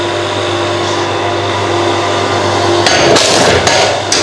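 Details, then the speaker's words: ForestWest 15-ton electric log splitter, freshly assembled, first split on Australian stringybark hardwood: steady motor and pump hum, then loud wood cracks and pops as the ram pushes through; easy split, working properly. "Oh yeah, that was a nice easy split. Oh, that's super easy. And as you can see, this is stringy bark or some Australian hardwood, so that's a very impressive first go."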